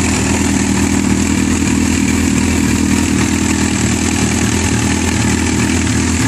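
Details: Yamaha R6 idling with a loose metallic chatter over a busy, clattery idle: cam chain rattle from a failed screw-type spring-loaded cam chain tensioner that can no longer keep the chain tight.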